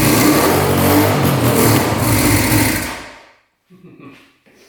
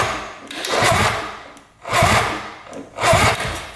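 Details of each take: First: 1974 Suzuki GT750 two-stroke 750cc, sat 30+ years in a barn, new fuel filter, choked and primed: fires and runs with a busy, buzzy beat about three a second, then dies away; first start after long storage. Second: 1974 Suzuki GT750 three-cylinder 750cc two-stroke, water-cooled, sat 30+ years in a barn, compression test with throttle stuck closed: starter labours in slow heavy surges about once a second; cylinder reads 135 psi, too high for the starter.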